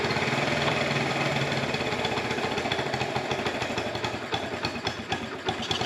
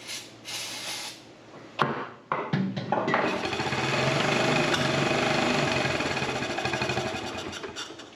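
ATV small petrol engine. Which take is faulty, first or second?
second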